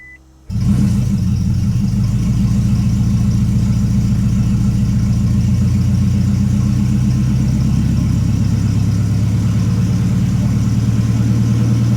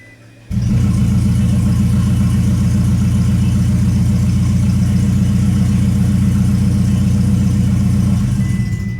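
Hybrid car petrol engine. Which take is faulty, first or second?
second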